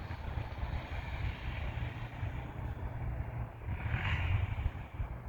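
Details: 1998 Yamaha Warrior quad after its loose spark plug was replaced with the correct tightened NGK. Pulling off on ice, the low single-cylinder thrum stays even as it picks up a little, heard under light wind. Normal running.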